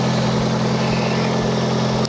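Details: Nissan 240SX with SR20 swap, idling after GTX2860 dual ball bearing turbo upgrade, 850cc injectors, Z32 MAF, FMIC and 340lph pump; smooth, even idle with steady low hum, no knocks, ticks or hunting; small audible exhaust leak.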